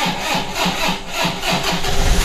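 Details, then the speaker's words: Vehicle with a new battery reading 12.45 V, multimeter on 20 V DC across the terminals: the starter churns briskly and the engine fires and runs, with voltage dropping to about 11–10 V while cranking; normal start. "yun na mga discover, nag-start pa rin, ano? Pero kapag ka nag-start tayo, then ang drop niya is nasa 11, 10."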